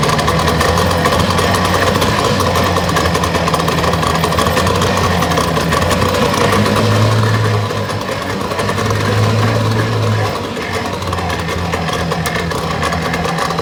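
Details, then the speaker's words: 1962 Johnson 75 hp outboard with electromagnetic shift, warm, idling: irregular, stumbling beat around three per second with wavering. Rough idle. Owner suspects worn reeds; a leaking tank gasket is also spewing fuel. "i'm really thinking that the idol is is rough on this and uh i think new reads would help"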